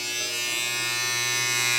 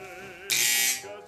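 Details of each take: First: Wahl 5 Star vibrating clipper after oiling and tension adjustment; the blade can't be stopped. Strong, steady high buzz with no faltering or rattle. Normal, healthy running. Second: Wahl 5 Star vibrating clipper running: the hum jumps into a loud, harsh buzzing rattle for about half a second. The armature tension, set by a reverse-thread screw, is too loose, so the armature wobbles.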